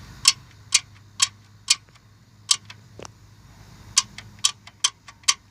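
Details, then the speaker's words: Ford 4.6 SOHC engine, just bought and sludged up, at quiet idle: sharp, crisp, slightly uneven ticks about twice a second from the top end; owner suspects excessive rocker arm play, not confirmed. "That to me seems like too much play. And that to me seems like where my noise is coming from."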